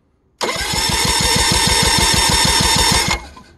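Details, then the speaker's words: 2013 Yamaha 9.9 four-stroke outboard being diagnosed for rough running, compression test while cranking: fast, even starter-driven pulses at about four a second with the plugs out; compression is good on both cylinders. "okay she's got great compression okay just to yep that's perfect"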